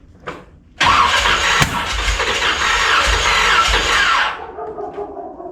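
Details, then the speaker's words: 1981 Corvette V8, engine just reinstalled, battery charged: it catches and runs a few seconds with a lumpy, galloping beat, not firing on all cylinders; a misfire the owner suspects is from a short, with vacuum leak possible. "It's still got that sound to it where she's not hitting on everything, so we still got a short somewhere."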